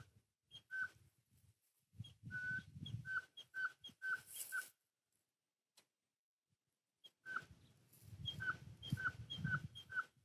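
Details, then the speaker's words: Strimmer primer bulb being pumped: short high-pitched squeaks about two a second with soft thumps and slight whistling; suspected air gap or hole in the fuel system, so the bulb fails to prime. "I'm pressing the little bubble thing here, which in theory is supposed to prime the engine. Supposed to push some fuel through. See if you can hear this squeak."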